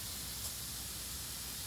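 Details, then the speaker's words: Residential sprinkler system zone four, three heads out by the easement covering the front patch: steady soft hiss of spray with no sputter or surging, running normally. "out by the easement so you've got three sprinklers out by the easement as well getting coverage on the front patch"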